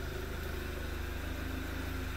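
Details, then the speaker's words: 2011 Audi TT Quattro 2.0T TFSI idling after replacing noisy vacuum pump and HPFP roller tappet; quiet, even idle with only a faint soft low tick in background; much quieter, noise still faintly audible. "it's it's really i don't know in person it's it's very quiet i mean like i said you can still hear that noise but it's not very loud at all"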